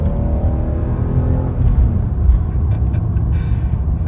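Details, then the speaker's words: BMW E46 330Ci after front control arm bushing replacement, accelerating at about half throttle: smooth, clean rising engine note, engine sounds fine. Owner notes diff slam on each gear and an intermittent exhaust-cam (VANOS) check engine light. "it's just it's fun to kind of I mean that was only like half throttle but it's still fun it sounds sounds fine it moves you know decently"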